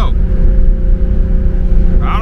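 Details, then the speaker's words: Turbo BMW E36 with newly fitted Tial wastegate on V-band adapter, boost raised, boost creep issues: deep engine drone under load, then a rising whoosh as the wastegate vents; boost still hit 15–17, too high. "i heard the wastegate that time i didn't hear it before it's been a while since i heard a wastegate so it's kind of working"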